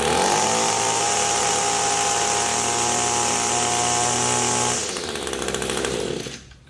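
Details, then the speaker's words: Echo two-stroke tool before adjustment: clean, even high-revving howl held steady at full throttle, winding down smoothly on release; powers up well, could be tweaked slightly; normal full-throttle run. "that's full throttle it powers up pretty good so there's really not too many issues account probably could be tweaked just a little bit"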